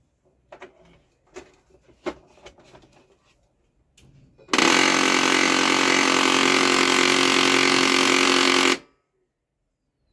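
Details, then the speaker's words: Canon LBP 2900 laser printer with the side gear panel opened: after some clicks it runs about four seconds with a harsh, buzzy grinding rattle about three times a second. A broken or jamming gear is suspected. "फ एक बार चालू करके देखते बंडर को कौन सा gear कहा पर ब्रेक हो रहा है कहां पर अटक रहा"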